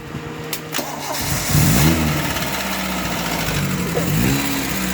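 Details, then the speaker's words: Engine after honing the worn loose camshaft bearing cap to cure rocker-arm noise: brief cranking, catches, revs, settles into steady idle without valve-gear tapping — now quiet; carburetor still to be tuned. "Yeah. Tahimik na. Tahimik na."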